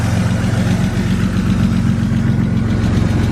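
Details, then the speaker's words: BMW E36 coupe at warm idle: light, quick tick of about two or three a second, loudest underneath the car and through the exhaust; owner hopes an oil flush and change will quiet it. "can really hear the tick like through the exhaust I don't know if I can hear coming from inside the exhaust or it's like tapping on something underneath"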